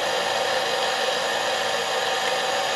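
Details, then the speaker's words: ImmersionRC Vortex 250 Pro quad armed after SBUS setup with an X4R-SB receiver and a FrSky Taranis Plus: all four motors start up with an even, steady high whir at constant speed, no stutter; normal running. "so as you can see the motors all start up"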